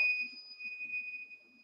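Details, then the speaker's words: Truck cab with APU on: single high-pitched electronic tone held steady nearly two seconds, the inverter alarm screaming about bad batteries. "the APU is on but the inverter is going to sit and scream bad batteries"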